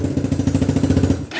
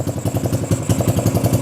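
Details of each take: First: XR150 clone single-cylinder bike with a weak battery, electric start using the decompression lever: quick even firing at about thirteen beats a second lasts barely a second, then dies. Owner suspects a dirty carburetor. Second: XR150 clone single-cylinder motorcycle, first start with the battery briefly charged: starts right up and settles into a steady, even thumping idle at about eight firings a second with no misses. Runs cleanly; carb issue confirmed.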